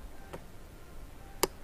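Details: Honda Rancher TRX350 ATV, key turned after starter relay (solenoid) replaced: single sharp click, no crank; owner suspects battery, relay or starter motor, cause unconfirmed.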